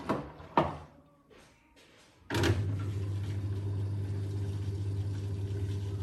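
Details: Blomberg RapidJet washing machine starting up, knocking noise returned: a couple of thumps, then a heavy low rumble with an irregular drum knock underneath, loud especially on spin; source unclear.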